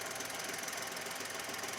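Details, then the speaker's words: $1,200 used car in Denmark, bonnet open at idle: light quick even top-end ticking over faint idle; cause unknown, owner suspects it needs oil. "Yeah, should get fixed. Probably needs some oil. It sounds like it needs oil."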